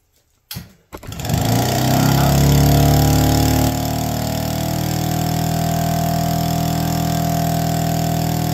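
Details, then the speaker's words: APC mini chopper, electric start with no choke after priming: it catches quickly, revs briefly, then holds a steady, even idle without hunting. Normal start and idle. "life come on lives and idles it's official"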